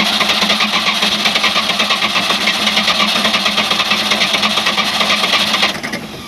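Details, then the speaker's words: 3.7L MerCruiser (MCM470) with points and condenser ignition: even cranking at about three beats per second that never catches, crank no start; no spark because of surface rust on the points, spark intermittent. "And what happens is you have crank and no start"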